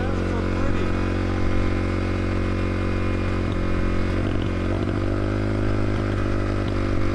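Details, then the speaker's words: 650cc single-cylinder kick-start motorcycle after heavy-rain riding, held at raised revs or it stalls; uneven beat with stumbles, badly misfiring, no blue smoke seen, air filter suspected wet. "we have to keep it revved up or it won't stay running i was worried that there was actually engine damage so i was checking for blue smoke but i couldn't find any blue smoke so that was reassuring but you can hear how badly it's misfiring"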